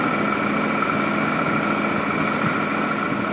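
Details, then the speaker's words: 2017 Odes side-by-side idling evenly with a steady hum and a faint constant whine, no stumble or miss, after the ECU was reconnected and the oxygen sensor and throttle sensor low-voltage codes were cleared; it sounds a little smoother. "Does sound like it's running a little smoother right now."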